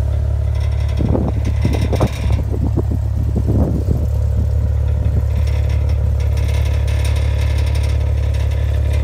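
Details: 2015 Maserati Ghibli at idle: deep steady rumble with a few seconds of irregular metallic clacking bursts from the exhaust pipes; exhaust rattle, cause unknown.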